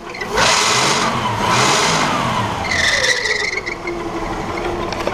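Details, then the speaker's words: 1979 Chevrolet Caravan SS six-cylinder, no accessories, alternator belt removed, engine revved: whine rising and falling with speed, not belt; worn crankshaft and camshaft timing gears with thin teeth, found on engine rebuild. "a correia do alternador a correia externa e o barulho continua então esse carro não tem nenhum acessório não tem direção hidráulica não tem ar I só tem o alternador e quando a gente solta a polia do alternador o barulho persiste"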